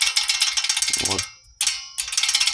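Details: Honda Accord 8th gen bump knock heard only with windows open, suspension checked fine: handbrake cable shaken by hand giving quick bursts of light tinny jingling against the body with short pauses. Cause: poorly tensioned parking brake cable, one side only.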